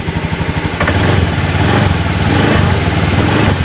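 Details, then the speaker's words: Honda Beat FI injection scooter that wouldn't start after servicing: with idle air control valve connector unplugged it starts strongly and settles into firm, steady single-cylinder putter with no stumbling. Idle with valve unplugged. "Saya starter lagi. Ini dengan posisi terlepas ini ya. Tuh ya. Kuat."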